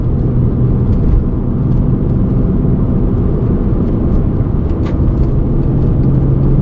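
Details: VW Golf Mk5 R32 driving: constant deep droning rumble under the road noise, heavy and low, from a worn wheel hub bearing.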